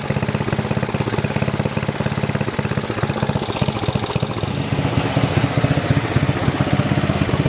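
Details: 1972 John Deere 56 mower with a swapped-in replacement engine: after repeated failed pulls it finally fires, fast regular single-cylinder popping holding steady and picking up slightly; first signs of life, running evenly.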